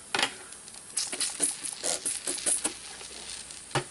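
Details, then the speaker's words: Tire inflated to about 55–60 psi and soap-tested: soft crackling fizz in irregular bursts as foam bubbles from the tread groove on the bottom; puncture leak to be plugged. "all right let's see what we got now I swear I hear it sounds like it's on the bottom"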